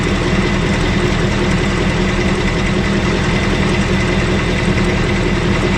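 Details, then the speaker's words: Loud, steady idle on a new engine just after its first oil change, with a faint quick ticking under the rumble. The owner thinks it is a subdued return of the earlier knock, and the cause is not yet known. "I guess I am here and there now it's not like it was before it's almost like a subdued version on this little bit shock"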